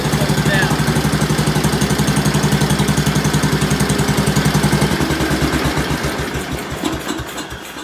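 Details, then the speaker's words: Ford engine after tune-up, started with a little throttle: idles right away with an even, steady thump, settling smoothly with no misses and no smoke; idle may still be turned down slightly. "As you can see, it idles right away. So I might turn it down a little bit yet, but it's either running pretty good here. You can see no smoke."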